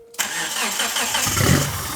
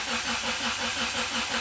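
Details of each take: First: Evo-based show car, first start attempt: cranks, then a rough cough that fades within two seconds while throttle cleaner is sprayed into the intake. Fires on spray, so it isn't getting fuel; the fitted fuel pump is suspected although it seems to prime. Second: Evo-based show car, first start attempt, cranking about 10 seconds with injectors off to read sensor data: even, steady slow cranking at 165 rpm with no firing; cranking is normal.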